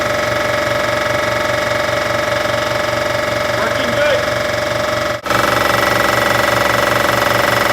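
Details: Air compressor after rewiring from 110 V to its proper 220 V supply (two hots and ground): strong, even motor hum with quick regular pump pulses, about four a second; running smoothly after the fix.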